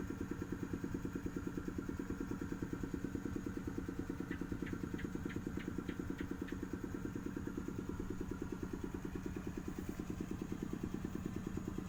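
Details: Engine idling after its coolant ran out, apparently through a leaking cylinder sleeve seal: a hard, even clatter at about 140 a minute over the idle. It is overheated and the engine must be taken down.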